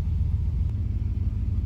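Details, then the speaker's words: 2007 Jeep Commander 4.7, just started cold after idle air control valve replacement (had dipping idle, stalling, high idle): smooth, steady low rumble with no stumble or hunting, a normal cold fast idle expected to drop as it warms. "all right she started right up it's a little cold should drop down"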